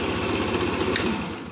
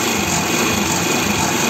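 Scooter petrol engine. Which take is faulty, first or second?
first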